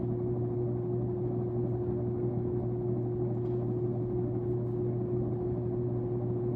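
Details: Sears Lasko Turn of the Century 52-inch ceiling fan, freshly installed and tested on high speed. A steady low motor hum of constant pitch with even airflow rush; the owner finds the hum awful. Ceiling fan motor hum, cause unconfirmed.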